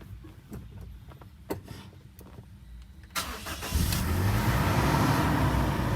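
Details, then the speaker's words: Automatic car, next morning after adding transmission additive for cold delay into D: quiet, brief crank, clean catch into steady even cold idle with temperature gauge low and rpm high; normal cold start. "Oke, ini real masih baru sekali dihidupkan dari kemarin ya. Setelah kita masukin cairan aditif."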